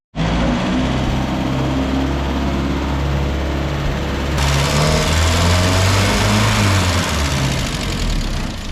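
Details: Land Rover, back running after a new starter motor and cleaned earthing points: engine catches at once and settles into a steady, even idle with no misses, knocks or odd noises.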